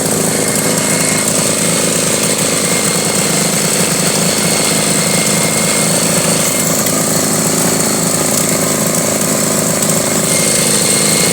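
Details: 1983 Honda Goldwing Aspencade project bike, engine running for the first time after revival, started on full choke; loud uneven running with ragged pulses, stumbling instead of settling, fuel or mixture setup suspected, not confirmed; needs tuning.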